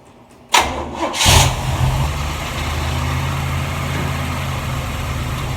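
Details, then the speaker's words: 1947 Ford street rod V8 first start after reinstalling the intake and distributor, on a cold day, with timing still temporary and likely off. A brief crank, it fires on the second try and settles into a steady, rumbling, even idle. "sounds good you know pump slow down that's the squirt"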